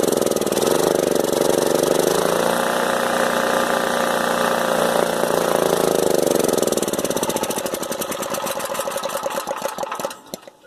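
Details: Older Honda EM3500SX electric-start generator, stopped running after water-contaminated gas; fuel poured into carburetor, engine fires and revs several seconds then slows and sputters out as it runs dry; runs only on primed fuel, fuel delivery suspected.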